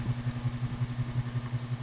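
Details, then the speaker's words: 2000 Encon Princess 42-inch (107 cm) ceiling fan, made in China, on medium speed with light on, slight wobble; always noisy in use 2000–2007. Loud steady low hum pulsing about five times a second; loud motor hum. "It's like just a loud, constant hum."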